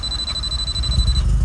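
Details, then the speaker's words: Mazda RX-7 FD with a freshly built ported rotary engine on its first start: a steady high alarm tone sounds for over a second above the cranking rumble, then cuts out; low-battery warning after repeated cranking. "now we also have low battery thats why the alarm sounds"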